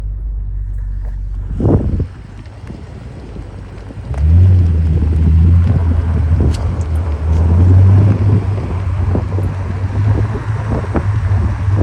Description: 2023 BMW M5 clicking noise, knocking noise when tapping the gas pedal.